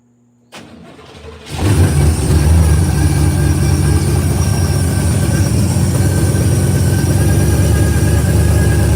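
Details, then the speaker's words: 1968 Pontiac LeMans convertible, cold engine (headers cold) after cycling fuel pump: brief crank, fires first try, holds deep steady idle with no stumble or tapping; healthy cold start. "Now look, I'mma prove to you it's a cold start."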